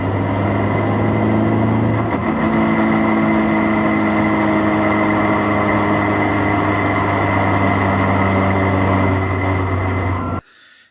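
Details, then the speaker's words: BMW 116i E87 (N45B16) race car coasting downhill off throttle: steady engine drone with a constant whine, a drivetrain noise on overrun. Gearbox already swapped without curing it, clutch looks fine, some slop when rotating the propshaft in neutral; cause still unclear. "because it's still making this um weird rare around noise when you're on overrun so going down a hill take your foot off the accelerator makes that noise"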